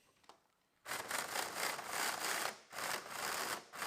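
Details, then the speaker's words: Fly Slot Porsche 908 slot car with old tyres lifting off the rims, before sanding; high motor whir breaking off and stuttering in uneven bursts as the car hops. "you can hear that it just wants to jump around"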